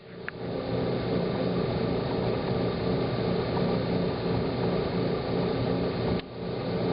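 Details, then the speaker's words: Hot tub spa pump running after replacing a pressure switch that was stuck closed, with the heater switched off and on: steady pump hum with a brief drop and restart near six seconds, then smooth; normal pump and heater operation. "heater on works perfectly"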